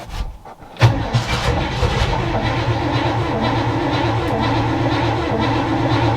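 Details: 1962 all-original Chevy C20 3/4-ton pickup, automatic, after long storage: brief crank and silence, then the engine catches and settles into a rough, uneven run on full choke.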